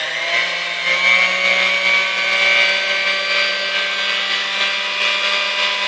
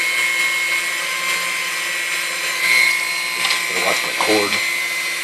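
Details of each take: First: Dormeyer 4300 Silver Chef chrome stand mixer: motor barely turns on speed one, hums unevenly and struggles at low speeds; something burning inside, secondary brush found hung up crooked, brush replaced. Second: Chrome Dormeyer 4300 Silver Chef mixer after service and maintenance: steady high motor whine holding an even pitch, a few clacks from handling; motor healthy, mixer good to go.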